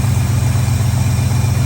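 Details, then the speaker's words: Old Ford truck, engine the owner calls mint, running without throttle linkage: idles by itself with a smooth, even low rumble and steady pulse, no knocks or misses. "it idled by itself. I don't know what to do here. This truck, the motor's mint."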